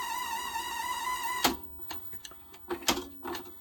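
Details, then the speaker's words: 1982 Panasonic NV-366 VHS recorder, revived from storage after its belts had gone bad: a loud, steady high whine during rewind, and fast forward was also very noisy, then loose clunks and clicks as it stops. The tape is thought not to be the cause. Noisy rewind mechanism. "that's noisy so fast forward seemed to work but very noisy i don't think it's the tape wow why is he rewind"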